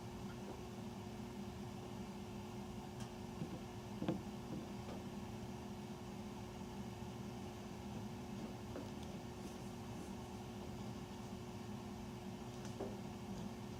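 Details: Furnace running after 10 PM (08-20-14), heard through the main duct across three levels and recorded here in the utility room. A constant droning hum with an airy rush and no knocks; the furnace is far too loud and the source is unidentified.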